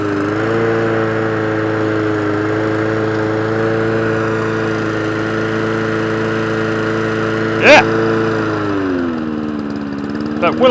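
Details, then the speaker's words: Old Mountfield lawnmower engine idles with hunting, surging pitch, then sags and cuts out as throttle comes down and won't restart on choke: carburetor fault, carburetor to be removed. "it will idle, but you go down too far, and it will just shut off. And it won't re-choke itself. So carburetor needs to come off to get this machine up and running."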